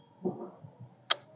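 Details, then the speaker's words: Honda PCX keyless system with non-working remote: quiet, then one crisp sharp click as a jumper wire is touched to the wire; keyless solenoid pulls in normally, allowing it to open. "dan ketika cetek selenoid di dalam sini ini baru bisa kita buka"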